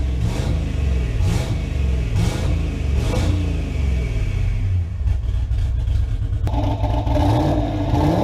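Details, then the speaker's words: V8 after repair, fault traced to a bad pushrod: clean rising and falling revs, even firing with no miss or clatter; running healthy and pulling smoothly again. "so it looks like we've got the bird back guys she sounds good and it looks like all that was was a freaking push rod"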